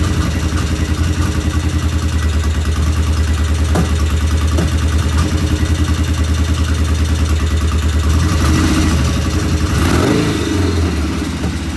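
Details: 1975 Norton twin motorcycle, first start after rebuild, checking oil flow: steady low thumping with stray sharp clicks breaking rhythm; intermittent irregular running, cause unclear, one loud tappet suspected; tappets to be rechecked once cool.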